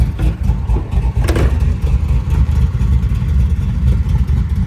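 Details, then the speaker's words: 1980 Chevy Malibu with a swapped-in 540 cubic inch big-block Chevy with Holley EFI, started and warmed briefly, heard from outside. Deep lumpy idle with quick throttle blips that rise and settle cleanly, quieter than in the mud truck. Healthy running. "Sounds really good. It's not as loud as the mud truck, but it still opens up like a mother when you give it some gas. Sounds really good to me."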